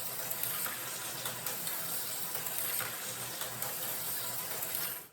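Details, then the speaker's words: New, not-yet-oiled slot car: hissy, rattly buzz with a thin high whine from dry gears and a sloppy idler gear, and a takeoff that is not smooth. "See, that one definitely needs some oil. I can hear that. They got a sloppy idler gear."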